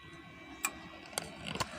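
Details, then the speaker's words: Amplifier powered on after replacing the Toshiba final output transistors, volume at minimum: crisp relay clicks over a faint steady hum as the speaker protection relay pulls in normally, showing no DC reaches the speakers. "Relaynya udah bunyi. Tanda arus listrik DC nggak masuk ke speaker."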